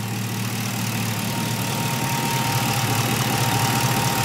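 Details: 1977 Camaro Z28 V8 warming after a cold start, gauge around 140°: steady, even idle with faint fan hiss in the background, nothing irregular; runs fine.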